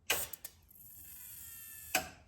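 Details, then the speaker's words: 2JZ swap, engine off at ignition on, coil packs on cylinders 2 and 5 plugged in: a few sharp ticks and thin high buzz like a starter tick, as if constantly triggered; suspected ECU/signal inverter triggering fault. "make that noise so I don't know what that is exactly that's my guess is just almost like a starter tick is how it's behaving"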